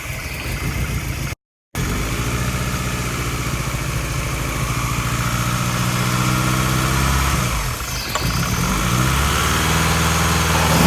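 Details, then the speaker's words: Suzuki Swift GTI engine with lumpy cams and no tuning, running after fixing injector fuel signal wiring: uneven loping idle with choppy beat about four times a second into light revs. "so it still needs some journey still needs a little bit a little bit of work because it's got lumpy cams and no tuning for it"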